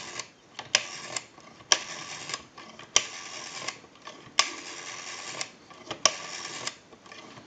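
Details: Repaired Automatic Electric rotary dial desk telephone, final checkout via amplified pickup, dialing own number: crisp evenly spaced click trains as each digit returns, short pauses between; dial pulses cleanly, normal.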